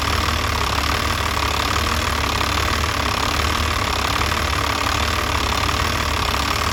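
Diesel idling with an uneven, lumpy beat of about one stumble a second under the clatter, pointing to a rough idle. Cause suspected, not confirmed.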